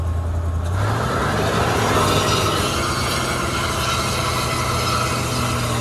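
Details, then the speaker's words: 1980 Cadillac Seville FWD with digital fuel-injected 6.0 L 368 V8, just revived and driven: loud, steady hum holding fast with no settle, idle running too high. "wow it's just idling so high it just wants to just wants to"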